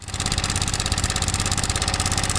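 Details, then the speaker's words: Yamaha MT15 single-cylinder at idle: fast, tinny metallic clatter from a failed cam chain (timing chain) tensioner; replacement is needed (same tensioner on MT15 V1–V3 and R15 V3–V4). "मेरे पास y का mt1 है जिसका timing chain adjust खराब हो चुका है जिसके वजह से कुछ इस तरीके का साउंड बाइक से आ रहा"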